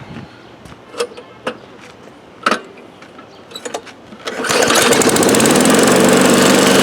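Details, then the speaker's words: 2013 Craftsman lawn mower, started after three primer pumps: some scattered knocks and clatter, then it settles into a steady, even buzz with no misses; the mower runs right. "pumps there we go that's more like it now it sounds like a lawn mower"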